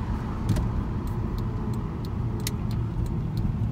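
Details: 2005 Audi TT 3.2 driven slowly around the neighbourhood with windows down after spraying brake cleaner on squeaky brakes; low road rumble through a slow turn with light cabin rattles, no squeal or grind. Brakes quiet here.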